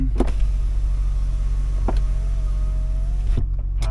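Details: 2006 Cadillac XLR 4.6L LH2 donor car, pre-disassembly function test: a smooth, even window motor whine runs about a second and a half, then stops cleanly; power window works fine.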